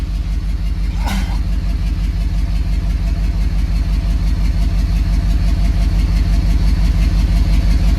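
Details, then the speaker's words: Ford 6.7 diesel cranking with cylinder 3 glow plug removed (code 0673): steady cranking about three beats a second with one weak stroke per cycle; cylinder 3 has lost compression, engine coming out. "And you can hear the compression loss cranking it over, and we've already pulled the glow plug, so now it's time to start turning bolts and getting down to pulling long block out."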